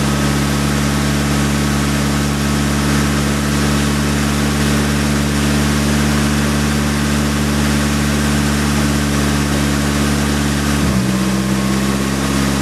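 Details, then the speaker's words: Nissan S15 SR20DET after engine oil flush and oil change: steady, even idle hum with a slight pitch drop near the end; engine sounds healthier, idling smoothly. "all right so that sound healthier let it idle for a while"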